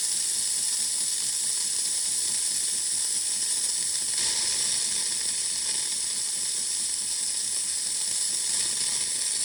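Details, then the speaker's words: Jura Z6 frothing milk from a connected container: constant harsh steam hiss with irregular spitting, no milk drawn; milk foam nozzle behind the spout worn with age, causing sputtering. "It just wears out with age and it stops foaming milk. So for example, if we just want to make a milk foam, we have the milk hose connected to the milk container, and let's see what happens. Instead of foaming milk, it's going to sputter."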